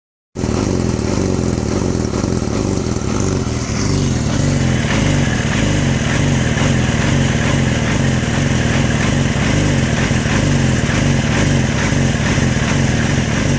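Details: 2006 Yamaha R6 four-cylinder idling with a choppy, uneven beat instead of a smooth hum; rough idle, source not identified.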